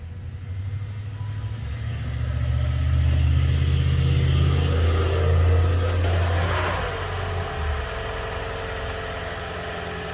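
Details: Toyota Prius after DIY spark plug replacement, plugs 29k miles past 100k life: engine catches and settles into steady low hum with brief swell midway, no misfire or ticking; runs evenly.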